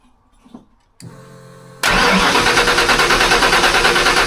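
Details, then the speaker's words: Stroked 408 Windsor Fox-body Mustang after moving the battery from the trunk back under the hood, ignition box disconnected; short brisk crank under a second, then it fires and holds a steady idle, no struggling. Normal crank and start. "clear that's totally different that's way better it's night and day totally different"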